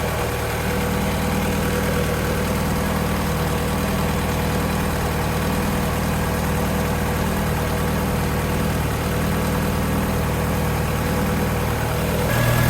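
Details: Japanese-import Alfa Romeo 145 Cloverleaf, nearly 25 years old, warming up after about 2 minutes' running, thermostat not yet open: steady, even idle, smooth low drone, no knocks, misses or hunting; engine and cooling system later judged fine.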